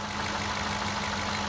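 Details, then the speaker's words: 2007 Cadillac DTS, newly replaced power steering pump being bled of air after adding about half a quart of fluid: pump runs with smooth, quiet, steady hum, no groan or whine; normal power steering pump. "Hear how nice and quiet it got? Now we got to turn it again like we did before."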